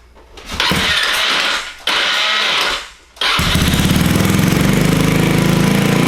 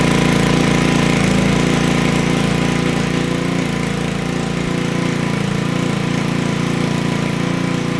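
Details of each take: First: Honda Ruckus scooter with GY6 (Chinese) engine, hard starting needing several pushes; after starter swap, two cranks then it fires and settles into a fast, buzzy idle well above normal; owner feels idle set too high. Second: Honda Ruckus GY6 scooter with starting problems, after adjusting the idle: starts at once and settles into a steady, regular putter at idle with no stumbling.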